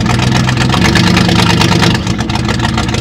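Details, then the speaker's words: 1969 Chrysler Newport 383 Magnum V8, 12-inch glass packs, revived after 40+ years sitting, vacuum valve likely remanufactured: deep, loud, lumpy steady idle with even throaty exhaust; sounds healthy, though owner later reports rough running, suspects fuel filter. "give it a few pumps sounds pretty good though"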